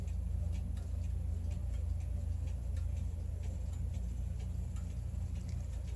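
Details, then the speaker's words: German grandfather clock, 9-tubular-bell Urgo triple-chime mechanism circa 1980, uncased and test-run after repair on a peg-board wall: crisp, even ticks about two and a half per second over low room rumble, beating steadily and healthy. "This is a grandfather clock, 9 tubular bell mechanism. Isn't that spectacular?"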